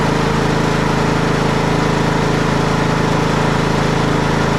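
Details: Craftsman T110 riding mower with battery that keeps dying, charging system under test after start: even, steady single-cylinder drone at constant speed, no misses or knocks; running properly, battery voltage climbing as it should.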